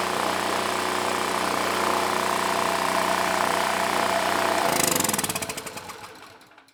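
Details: PowerMate generator (model PM0123250), engine ran but made no power, now fitted with a Predator AVR tuned to about 121 volts: a steady, even engine drone with no hunting or knocks, then a smooth shutdown and wind-down. Generator running normally.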